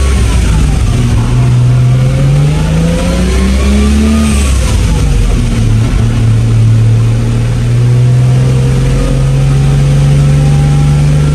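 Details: Toyota MK3 Supra, stock-block six on Haltech standalone, hub-dyno tuned (idle, injector offset, cranking and fuel tables) to fire every time hot or cold; revs rise and fall smoothly, picking up cleanly without misses, healthy.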